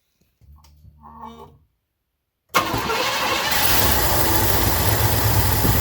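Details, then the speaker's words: 1981 Cadillac 8-6-4 6.0 L multi-displacement V8, cold start in roughly 60° garage after three months unused, new idle speed motor and rebuilt ECM: brief crank then lumpy rough idle around 800–900 rpm, misfire suspected, no codes; target 1500 rpm. "Yeah, she's running a little rough, but she hasn't run in like 3 months. So, let her get warmed up here."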